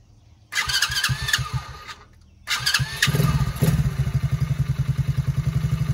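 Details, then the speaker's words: TAO 110cc ATV with a brand-new replacement engine, governed to about half throttle: it catches after a couple of tries, then runs a quick, even putter while being ridden; runs pretty good; normal running. "We've got it governed back to about half throttle. Still fast for a little guy."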